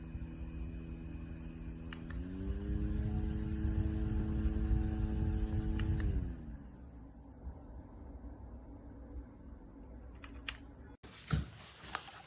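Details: JISULIFE handheld fan with 4500 mAh powerbank spins up to a steady hum with a rough buzzy rattle underneath, then winds down; something inside rattling loose.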